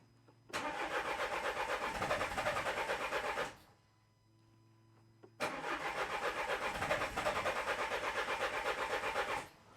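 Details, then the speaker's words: 2013 Renault Scenic III 1.5 dCi (K9K636) after four new injectors: two cranks of about three seconds each, steady even turnover at about four beats a second, never catching; fuel rail pressure is clearly too low to fire. "but see i'll show you cranking over we're clearly not getting enough pressure"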